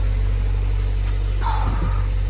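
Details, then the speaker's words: 2015 Subaru Forester after replacing a bad muffler, one that putted loudly, with a Walker Quiet-Flow stainless muffler (21904): started and revved, it gives a deep, steady, quiet exhaust drone with no rasp, rattle or leak. The exhaust now sounds normal and quiet. "let me rev It Up sounds normal it's flowing guys it's working"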